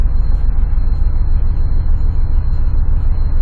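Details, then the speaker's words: 2004 Chevrolet Trailblazer 4.2 at idle, misfire traced to cylinder 4 in a coil swap test despite no misfire code: low uneven thump dropping a beat every few revolutions; ignition coil 4 misfire. "Ahorita se supone que debe estar fallando, porque sí siento la falla. No sé si la oigan ustedes, pero por alguna razón ya no lo detecta."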